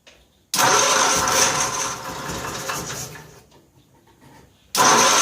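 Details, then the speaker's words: 1955 Cushman Truckster, cold start after sitting a couple of years, gas just added: cranks and fires briefly about three seconds, fades, catches again. Hard starting; owner suspects air in fuel system (bubbles), fuel leaking, needs fuel bowl gasket. "I also think what's happening is it's getting air out of the fuel system because I saw a lot of bubbles."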